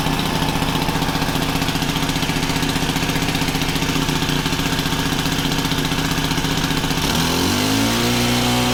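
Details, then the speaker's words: Honda FG110 tiller with GX25 engine, new carburetor, previously ran only on half choke, idle set high to warm up before tuning; steady fast putter about three firings a second, then smooth speed change; normal high idle. "So I'm going to turn the idle up pretty high, and then we'll lower it as we tune it. This is going to help get it warm too. I mean, it's not going to be screaming, but it's also not going to be so low it could barely even run."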